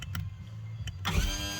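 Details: Outboard boat engine that won't start and can't be turned by wrench; power trim raise/lower gives a short even electric whir after a click, no grinding or strain, so the trim motor works fine.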